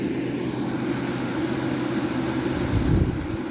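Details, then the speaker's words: 1962 General Electric Lo Thinline air conditioner on high, drawing about 900 W, heard from the back: constant mid-low hum from the GE rotary compressor with no knocking or rattling; the compressor is running normally. "you can really hear that g rotary it's very Fain electric probably made one of the best rotary compressors in my opinion"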